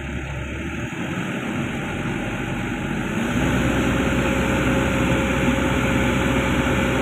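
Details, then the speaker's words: Komatsu PC200-10M0CE excavator diesel, about 3000 hours, CA2249/CA559 history, high idle without load, a reading of about 900 roughly matching: steady drone climbs slightly then holds smooth, no knocks or misses; no sensor fault, healthy high idle. "Lê vòng tua cao không tải. Cứ để nó đạt con số 900, 900 hir là ít nhiều giống nhau, điều này có nghĩa là nó an toàn, không có lỗi cảm biến, cảm biến tăng lên,"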